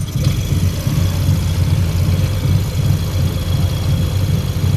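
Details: Yamaha NMAX that stumbles and stalls on acceleration, charging at 14V with the engine at about 80°C, idling with the mechanic's known-good MAP sensor fitted: a low, steady idle with even pulses and no stumble; the MAP sensor was judged faulty.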